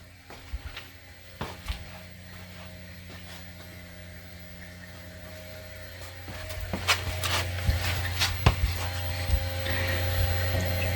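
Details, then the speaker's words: New fuel pump on a supercharged car with Holley Super Sniper EFI, fan off: soft, steady low hum under a few handling clicks, getting slightly fuller later; pump runs smoothly and quietly. "all right so let me shut my fan off so you can appreciate how quiet this fuel pump actually is"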